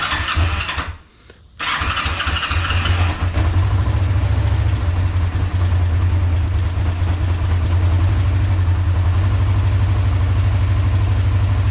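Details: 2005 Kawasaki Ninja 500R, stored over 10 years, start after fresh oil change: after a brief pause the twin fires and settles into an even idle of about three pulses a second; oil pressure light goes out quickly.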